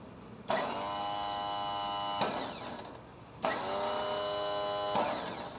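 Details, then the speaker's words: Lawn mower with a known-good battery: two bursts of high free-running whir with no engine turnover. The starter gear spins but never rises to engage the flywheel. "spinning noise I'm going to show you what's going on with this starter so this is that exact starter I just showed you the gear is not going to come up and engage the flywheel it's only going to spin"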